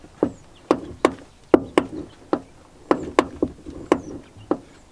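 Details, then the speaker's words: Jeep SRT near 100,000 miles, driver's door: sharp irregular clicks and pops as the door swings, still present after lubrication; worn driver's door hinge needing replacement. "one teeny tiny little issue that I've had in the last 50,000 miles that I haven't caused I am going to need a new door hinge for the driver's door I've tried to lubricate it but"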